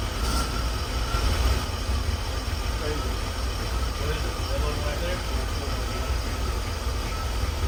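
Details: 1984 Chevy K20 with 350 V8 after sitting 7 years, following spark plug and oil change: low even rumble with no misses or knocks, settling into smooth steady idle; normal idle.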